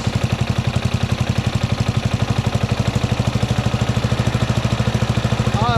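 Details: Craftsman LT1000 lawn tractor repowered with 12 HP Briggs flathead single, new battery, choke cable and gas tank, magneto wire not yet connected: quick, even low thumping at steady idle, no misses or knocks; normal running.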